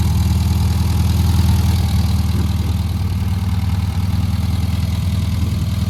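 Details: Hydraulic Marathon Beetle with 1300 engine, after the distributor was found 180 degrees out, a new distributor fitted, rewiring and tuning: steady, even low idle with a smooth regular beat of about four pulses a second and no misses; normal idle.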